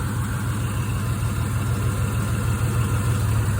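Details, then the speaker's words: Cylinder balance test on an engine with a misfire: one coil pack or plug wire disconnected, idle rpm drops and the engine stumbles, misfiring and struggling more with a low, uneven idle, so that cylinder is working. "I'm going disconnect this one here. See the motor kind of, you know, it's moving a bit more, misfiring a bit more, struggling a bit."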